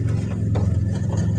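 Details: CSBO amplifier after repairing burnt resistors in mic lines 1–4, powered on with volume up: steady low hum around 100 Hz with slight pulsing; speaker noise gone but mic/live channel still very noisy, cause not found.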